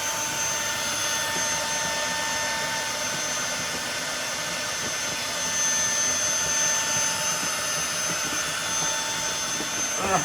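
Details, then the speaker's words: Tineco Floor One S3 wet floor cleaner on max mode during a heavy mess test: steady high-pitched scream with thin piercing tones that never drops as the motor strains; it blocked and stopped, suction blockage. "okay it's blocked so it's stopped i've had to walk through that that was disgusting right"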